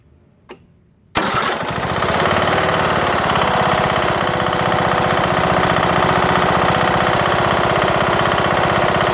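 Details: Craftsman LT2000 mower's Briggs & Stratton single-cylinder engine after replacing broken camshaft and timing gear: starts and runs with a loud, heavy regular knock, then shuts off; cause unknown.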